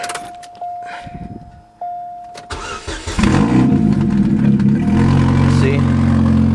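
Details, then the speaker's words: Supercharged Chevy Cobalt SS just after installing a new CCP downpipe to replace the holed stock one: starts and idles with a quick puffing tick. Owner suspects a remaining exhaust leak, now seemingly from the rear rather than the front. "It sounds like I still have an exhaust leak, but not from the front anymore now. It sounds like it's coming from the back now."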